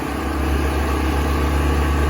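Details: New Predator generator on its first start, choke now off after a rough, stalling warm-up: an even, steady drone with a regular firing beat and no hunting or surging; it is running smoothly and healthy.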